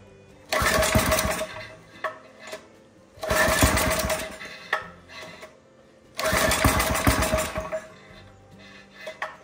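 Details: Briggs & Stratton 5 hp engine on homemade log splitter, was popping back through carburetor with little or no compression: three pull-start bursts catch briefly then die with puffing; compression better but exhaust valve appears stuck/leaking.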